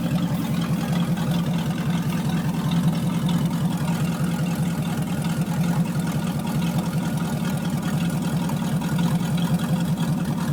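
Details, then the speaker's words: 1979 Chevy 350 V8, first cold start after years unstarted in winter, temperature still cold: an even, steady low burble with a regular pulse and no misses or knocks; normal idle while warming up. "temp still pretty cold let's turn it on hot fan doesn't work idle's nice though"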